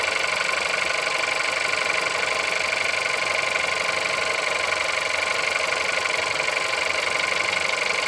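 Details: Engine at 176,000 mileage, cold start: sharp, regular metallic tapping about four per second over a thin cold idle; clear engine knock, source not pinned down.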